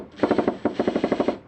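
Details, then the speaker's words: New Makita DHP481Z/XPH07 combi drill set to drill or driver mode: sharp rapid blows, about twelve a second in short bursts, same as hammer mode; hammer mechanism not disengaging, apparently a factory fault. "that is the actual hammer drill in action you're not actually supposed to hear that because it's not in hammer mode"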